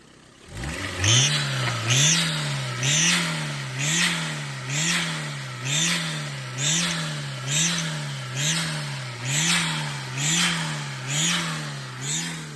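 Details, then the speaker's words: Turbo Mira engine blipped about once a second, with a sharp high squeal chirping at the top of each rev. After a loose belt was tightened, it now squeals at idle too. No boost leak was found and the broken turbo intake was replaced; cause still unknown. "kind of loose, this guy right there, and we adjusted it, made it a bit tighter, and now the sound even comes on idle. I wasn't doing it on idle before, but listen to this."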